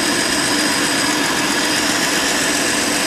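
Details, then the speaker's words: Old Ford Falcon with points ignition, warmed up after running a while, idles with a steady, even hum, no misses, knocks or surges, smooth as a sewing machine; normal idle. "tell you it's smooth man like a damn sewing machine not bad for how old it is"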